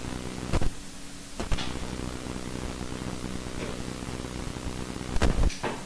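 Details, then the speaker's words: Desktop PC with ASUS motherboard driving Yamaha HS5 studio monitors: constant low mains hum with sharp clicks when the right speaker merely touches ground; ground loop noise, fixed with tape. "so this is the right loudspeaker my right yamaha and i don't even plug it just touch it a little bit with the ground you heard that it's there"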